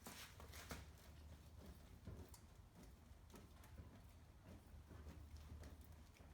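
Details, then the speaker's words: Chevy Cruze front corner rocked after replacing the sway bar link with a Moog part and torquing the wheel: soft dull thumps, the earlier popping/clunking noise gone. "more noise so I think this is a job well done this wheel is back on we got torque down and no more popping noise"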